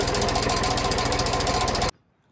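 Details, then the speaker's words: John Deere 2150 utility tractor running: fast regular metallic chatter, about ten taps a second, louder when revved; fan blade is hitting the radiator. "Also, the chattering that this thing's making, I noticed when I revved it up, the chattering got louder. So, I figured it has something to do with this. And if you spin the fan here, you can you can see right there that the fan is hitting the radiator."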